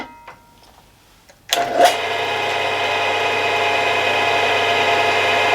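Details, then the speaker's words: Milling machine spindle after new bearings fitted, preload and end float set; run at high speed two, where chattering noise occurred before repair, now a clean even whir with no chatter or rattle; normal spindle running. "so before there's like a sort of chattering noise there [Applause] and now it sounds like that noise is all gone"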